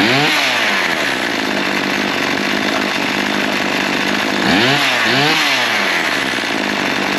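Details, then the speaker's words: Small two-stroke after repair, with the primer bulb now acting correctly: a steady buzz that blips up and down cleanly on the throttle without dying or bogging. It runs fine. "that don't sound too bad I think she'll run too"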